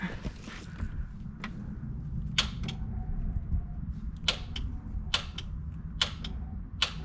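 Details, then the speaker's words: 1993–1998 Toyota Supra that won't start: sharp single starter clicks about every second in a quiet bay with no cranking. "hear that it just clicks clicks once if you have a super that does that watch this video i'm going to show you how to fix that"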